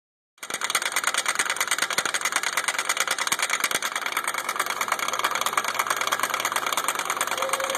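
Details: Suzuki running, with a customer complaint of slight clicking: sharp, uneven clicks about three a second over a hissy background, from a broken front driveshaft with a separated CV joint.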